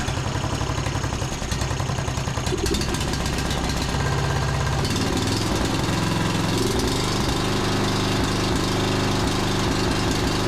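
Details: John Deere D110 riding mower single-cylinder engine after regapping the spark plug to 0.030 in, tightening it, and richening the cap-limited carburetor about a quarter turn: the chug smooths to a steadier, fuller note at about three beats a second and now runs cleanly.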